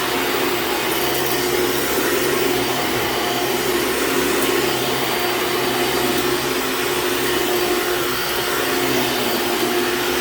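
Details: Hoover Dimension Supreme vacuum running on a living room floor: a faint wavering squeal rides over the steady motor roar, from a worn, slipping drive belt that squeals out immediately on rugs.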